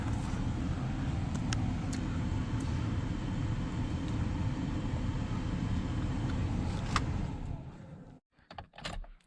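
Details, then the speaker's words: Truck that sat for years, after replacing the blower motor, fan switched on low: steady, even low whoosh of air with smooth motor hum, no rattles or squeals until switched off; blower runs normally. "I hear something oh yeah we got a blower motor sweet"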